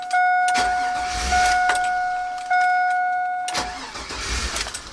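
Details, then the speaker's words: GM truck, o2 Yukon computer swap, with Passlock II anti-theft; short cranking bursts under a steady warning chime, no start; the swap did not bypass the anti-theft, suspected VATS/Passlock. "it does the same thing as the one in the other truck it will not start"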